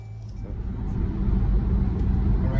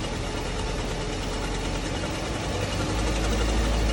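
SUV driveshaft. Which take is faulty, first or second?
second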